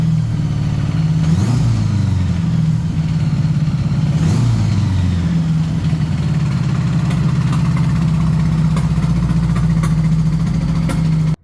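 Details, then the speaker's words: Honda Goldwing motorcycle, low mileage, sat 5 years, first runs after revival: low, slightly lumpy idle with a couple of throttle blips, uneven beat; carburetors completely out of adjustment, unsynchronized. "I actually even drove it around the yard with the J charger pack on the back um not the greatest idea because the carbs are definitely completely out of adjustment"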